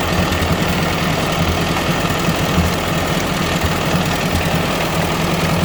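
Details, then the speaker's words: 1957 Ford 841 tractor four-cylinder after fitting a Chinese replacement carburetor: low, even chugging at a steady idle with no surging or dropouts; runs smoother, tachometer not working. "all right i'm about to fire it up so you can see it actually doesn't sound too bad i gotta get the tachometer fixed"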